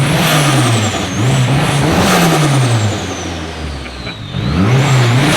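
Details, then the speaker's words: Freshly built Nissan SR engine with a turbo, on its first cold start with break-in oil: crisp free-revving blips with turbo whistle and no knocks or rattles; it sounds great. "that's sick it sounds great it sounds freaking sick"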